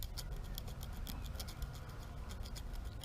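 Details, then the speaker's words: Stihl MS362 chainsaw crank: a probe dragged over the journal gives uneven scratchy ticking from a spalled, pitted bearing surface; baler twine melted behind the clutch blocked oil to the bearing; crank is ruined. "you can see this the crank bearing surface is spawning off and there's also some wasting in there so it's worn"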